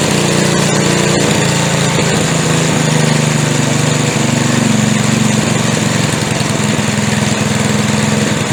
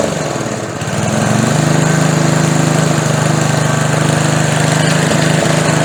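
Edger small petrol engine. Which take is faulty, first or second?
second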